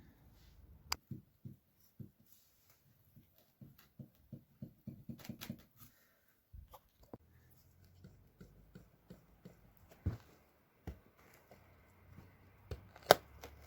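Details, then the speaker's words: 2010 Citroën Berlingo front shock absorber strut, removed and worked by hand: dull irregular clunks on each stroke; the damper knocks internally, while the top mount bearing is intact. Shock absorber internal knock. "сама-то стойка так навитой рабочая но внутри штуку стучит"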